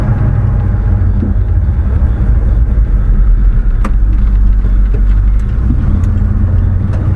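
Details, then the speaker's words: Old Chevy pickup, 4WD, 3.73 gears, after hard starting, lugging and bucking; steady deep V8 rumble cruising under road noise, no hesitation, jerking or lugging; normal cruise. "that no hesitation no jerking no lugging oh yeah that's way better just cruises man hey thing runs good"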